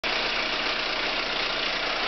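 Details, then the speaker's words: 2003 VW Passat 1.8T at cold idle, around 30°F and not warmed up, oil pressure 75 psi: a loud, harsh clatter and hiss right after a cam chain tensioner replacement; reopened with nothing found, it ran fine warm after Seafoam. "It's a not so nice sound after doing the cam chain tensioner. Makes me very sad. And here's the extent of it here. Pretty loud. I really don't like this sound."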